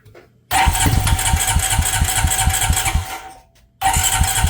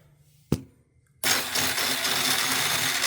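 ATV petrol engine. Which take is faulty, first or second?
second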